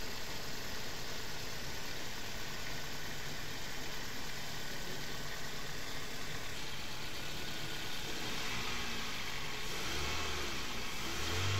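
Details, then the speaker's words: Car engine overhauled for missing and no pickup, first start after the rebuild: an even idle, slightly loud and fast until tuned, picking up cleanly with no knocks or misses; normal idle and revving. "খুব সুন্দর চলতেছে। Sound একটু বেশি, race বেশি আছে এখানে, কারণ first time start করছি। আর এটা টুনিং করলে ঠিক হবে।"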